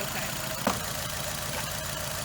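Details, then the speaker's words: Nissan Altima at a mobile call: uneven, lumpy rough idle with irregular low pulse and a sharp snap; unplugging coils isolated one dead cylinder, and its coil-over-plug coil was found sparking externally, so the coil pack is to be replaced. "but these days these newer vehicles you probably got bad coil packs rather than a bad spark plug okay"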